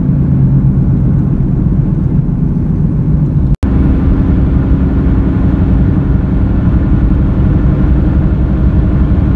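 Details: Car roaring/helicopter noise while driving through turns, steady deep roar with slight throb; front wheel bearings replaced (left driver's side suspected) but sound remains; defective tire causing roar.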